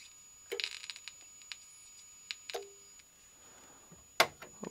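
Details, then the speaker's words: Victron Energie Atlas Combi 12V/800W charger-inverter transformer, primary side under a 6 kV hi-pot test: three sharp, irregular snapping clicks over near silence; flashovers to ground from defective transformer insulation, with visible sparking. "see that sounds bad the clicking noises we can hear is actually flashovers to ground so i think we have a defective insulation inside this transformer"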